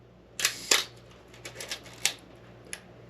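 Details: Old film camera checked as a potential purchase, shutter set to 1/4 second: two crisp clicks roughly a quarter second apart as the shutter opens and closes cleanly. Slow-speed timing sounds right.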